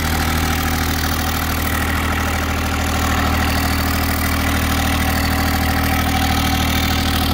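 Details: Kubota GR2110 mower with an added RHB31 turbo, being driven: a small diesel drones steadily and evenly under a faint turbo whistle, with no stumble or knock. Normal turbo spool.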